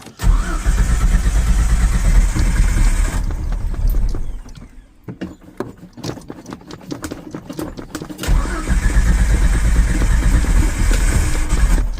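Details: 1995 Ford Ranger, carbureted, cold morning start, engine dry, gas pedal being pumped: engine spins over in long steady bursts with clicks between pauses but never catches; cranks, won't start, cause not confirmed.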